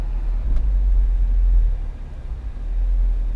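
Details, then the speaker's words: Subaru Forester XT after suspension work, driving slowly on rough roads: only smooth, soft road rumble with no clunks or pops; the earlier low-speed popping, suspected inner tie rod, is not heard. "so far I hear nothing it's nice and soft"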